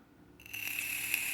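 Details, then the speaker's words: CigGo T 100W box mod firing at raised wattage. A high, rattly "rattlesnake" buzz holds steady while firing, suspected to be audible pulse-width switching, possibly only above a certain wattage; not confirmed. "I don't know but also you can hear the pulse width like just have a listen let me crank it up a little bit here maybe it's only using pulse width over a certain wattage I'm not sure"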